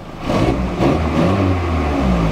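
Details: VW Golf Mk3 after ignition timing was adjusted, backfires and bogging gone though it has still shut off: picks up smoothly from idle, holds an even rev without misses or popping, then eases down; clean revving.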